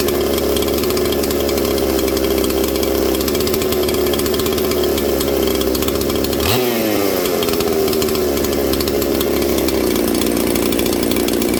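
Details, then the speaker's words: Mystery 200-series junkyard chainsaw labeled '266', with red showing through: a steady idle buzz sags and stumbles toward stalling as the idle screw is lowered. The engine dies at idle, and the owner suspects it is running out of fuel. "This thing's running out of fuel, friends, is what I actually think's going on here."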